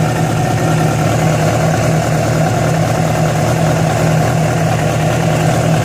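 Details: Yamaha FZ6 at idle, with abnormal engine noise that began after riding about 70 km on two cylinders because of a failed ignition coil connector: steady low idle with an uneven, rough drone and no clear knock pattern; cause unclear.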